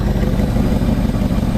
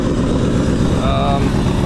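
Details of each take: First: 2004 Jeep WJ 4.7L V8, first start after head and timing cover work, exhaust unbolted, no coolant, no accessories: loud rough idle with exhaust-leak rasp, no deep bottom-end knocking, sounds okay-ish: normal idle. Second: 2004 Jeep WJ 4.7L first start after head and timing cover install, no accessories, no coolant, on battery power, exhaust not bolted on: very loud raw rapid blatting idle; exhaust leak.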